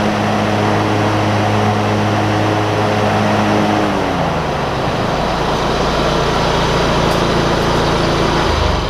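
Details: John Deere ZTrak Z915E, Kohler V-twin, sat 2 years; after carb clean fixed a sticky solenoid causing no fuel. Warm engine gives a steady drone, pitch settling lower partway, no misfire; normal running.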